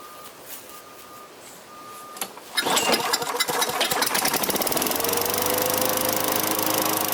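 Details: Vintage Craftsman 21-inch mower with 6.25 hp Tecumseh engine, after service with oil, gas, lube and a fresh air filter: a few starter pulls, then it catches and settles into an even, fast, steady putter; running fine.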